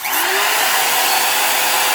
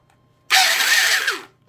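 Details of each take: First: Porter Cable 7301 type 1 trim router, higher use, shown as the reference for normal sound: the motor spins up to a clean, steady high whine and winds down smoothly with no grinding; bearings healthy, though it may need new ones eventually. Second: Porter Cable 7301 type 2 trim router, possibly dropped with a bit in: a harsh, raspy high whir that spins up and runs for a second, gritty rather than smooth. The lower main bearing is completely shot and needs replacing.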